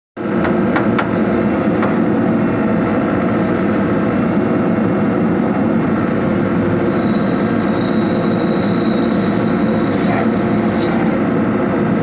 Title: Swing Device Abnormal sound #swing #device #abnormal #sound #hydraulic #excavator #damage #checking